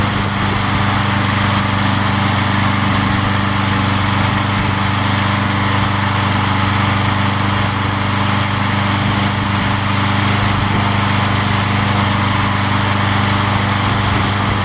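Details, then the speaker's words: Free junk walk-behind mower that had been sitting and tipped on its side, started after several pulls: small engine holds a smooth, even drone at constant speed with no misses, knocks or surging; smoked a little. "I had it on its side a couple times, and it has been sitting. So took a minute to crank it."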